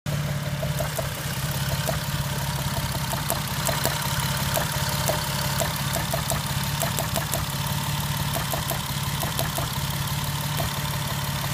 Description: No idiot lights. Just rough idle and a knocking sound